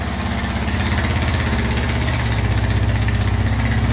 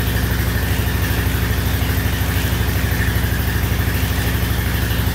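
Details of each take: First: 1999 Honda Foreman 450 4x4 ATV with plow, revived after sitting about 10 years: steady, even low idle thump with no misses, hunting or knocks, no smoke out the back; normal idle. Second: 1999 Honda Foreman 450 4x4 ATV, sat about 10 years, first start on choke with old oil: steady single-cylinder idle about three beats a second, no knocks, but carburetor dumping fuel; debris stuck in float needle seat found.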